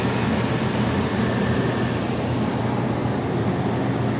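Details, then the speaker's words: 2014 Itasca Impulse RV rooftop AC after replacing the fan motor that had a bad bearing: a smooth, steady air rush with an even hum and no squeal or growl. The fan runs quietly with strong airflow. "Okay, it is still reading 99 degrees in here. Here we go. Oh, it's quiet."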